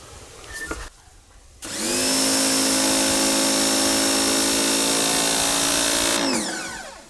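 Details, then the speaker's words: Oleo-Mac PW 110 C pressure washer after replacing the bypass/unloader valve and the high- and medium-pressure valve and seal kit. The motor spins up fast, builds pressure quickly and holds an even high hum, then winds down; normal running. "Зараз змикаємо нашу мийку. Бачите, вона швидко набирає тоді тиск."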